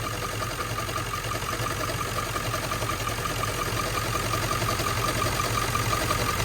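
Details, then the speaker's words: 1997 Ford F-350 7.3L Powerstroke diesel, 164,000 miles, warm idle, stethoscope on front pulleys: faint regular tick with thin steady ring, narrowed to one of two pulleys; traced to worn alternator bearing. "sounds like it's coming from right in here so all right so now that figured out that it's either coming from this pulley here or this pulley"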